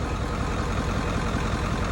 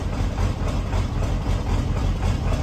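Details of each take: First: OBS Ford 7.3 Powerstroke diesel, 300k+ miles, after injection pressure regulator (IPR) replacement, started at 62°F with a suspected clogged injector clearing: even, deep clatter at constant pace, no lopes or missed beats; clean idle. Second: 1994.5–97 Ford 7.3 Powerstroke diesel, over 300k miles, first start at 62°F right after injection pressure regulator replacement. Deep idle loping about two uneven pulses a second from air in the high-pressure oil system, then smoothing out.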